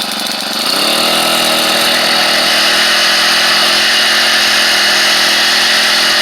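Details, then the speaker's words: SEDEG 4-stroke 1.5 hp air-cooled outboard after 50 miles, revved out of the water without prop load; revs climb quickly then hold a steady high pitch with a light racy centrifugal clutch rattle, normal and not a concern. "so you'll hear this this racy rattle that's the centrifugal clutch and um and that's just the noise it makes i wouldn't let it concern"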